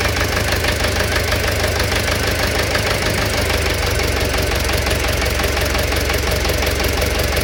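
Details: Engine knock at idle: a sharp, repeating knock about twice a second rides over the engine, pointing to a knock inside the engine.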